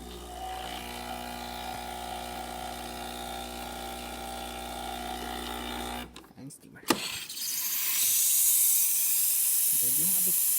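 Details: Breville espresso machine after a full tune-up for buzzing and low pressure, with all leaking gaskets replaced: a steady pump hum gives way to a strong, even steam-wand hiss during the post-service test. Normal, healthy output.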